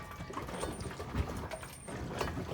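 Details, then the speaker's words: Chevrolet Suburban front driveshaft U-joint at transfer case yoke, vehicle rocked forward and back, irregular metallic pings and dull pops; broken U-joint flexing, driven two weeks broken, bad leak at the yoke. "as it's moving back and forth just pinging and popping there making some weird noises"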